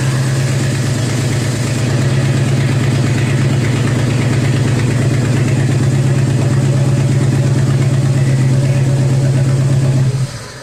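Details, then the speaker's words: Jeep Wrangler YJ, TPI fuel-injected, sputtering at idle: uneven lumpy beat with periodic stumble; one cylinder misfiring from a faulty new cheap spark plug; cylinder misfire at idle. "Now we have a 2-cylinder Jeep. Let's go ahead and plug that guy back in. Here's the cylinder with trouble."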